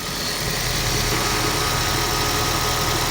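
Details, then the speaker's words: Toyota Prius electric A/C compressor with doors open and 81-degree air drawn in, duct at 44 degrees: steady high whine over even hiss and quiet idle; owner estimates compressor speeding around 5000 rpm under heavy load. "you listen to that compressor if I had text and hooked up Toyota's software you'd see from the sound of that compressor I'm familiar with it it's speeding up around five thousand rpms because I had all the doors open and I had hot air coming inside"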